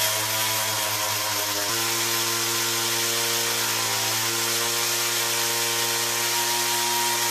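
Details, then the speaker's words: 2-stroke weed whacker after a carburetor clean, rewind repair and air filter housing fix, carb remounted and started on full choke. A buzzy howl steps in pitch and wavers on throttle; the initial hesitation persists despite adjustments, cause unknown. "Well, it runs better than it did. Doesn't seem to be, no matter what I do, I can't seem to get that initial hesitation to go away."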